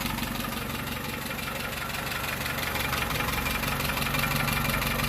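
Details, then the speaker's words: 1948 Peugeot 202 running on choke after arriving by tow truck: an uneven puffing beat about three per second over a rough four-cylinder idle, with little coming out of the tailpipe. The owner suspects a large exhaust leak underneath, unconfirmed. "pretty good very exhausting not a lot coming out the pipe it's probably all coming out to leak sounds like it's coming out right down here"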